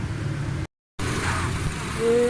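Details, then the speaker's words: Honda Reborn after fitting all new spark plugs to fix poor fuel average and pickup: short, steady low idle with an even beat and no misfire stumble; the slight hum is gone and the engine runs smooth and healthy. "माशाल्लाह गाड़ी ज़बरदस्त soul still है। जो इसके टैबों की थोड़ी सी गूंज थी वो भी ख़त्म हो गई है, गाड़ी बिल्कुल ज़बरदस्त हो गई है।"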